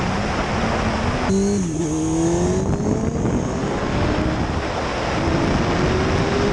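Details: 2005 Suzuki GSX-R 750 after transmission repair replacing worn sixth gear parts: engine note climbs cleanly with a quick shift dip, no flaring; sixth gear no longer slips; normal running under acceleration.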